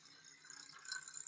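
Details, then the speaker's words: DJI Ronin-S gimbal: quiet, rapid high-pitched rattling buzz in uneven pulses as the motors shake instead of holding steady; owner blames unfinished algorithm, software and firmware, not confirmed. "it doesn't let you hand position the camera the crane to allows you to do that and then you hear that shake you guys hear that"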